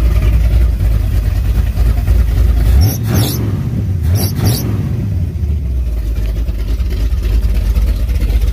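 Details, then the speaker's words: 454 big block with Thumpr cam in a Firebird, first start in about two months, timing pulled back, good oil pressure, temperature under 160: deep loping rumble idling around 800-850 rpm; normal lopey cam idle. "good oil pressure hasn't even hit 160 yet idling like 850"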